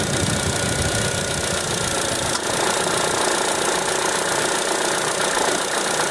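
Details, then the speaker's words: Steady fan rush with a faint, uneven cricket-like chirp from the radiator cooling fan motor of a 2014 Chevrolet Tracker when hot, from a worn fan motor bearing; motor to be replaced. "vamos hoje tentar identificar um barulho que tá acontecendo aqui na no ventilador um grilo quando ele esquenta fica incomodando muito e tem que procurar ver o que que é"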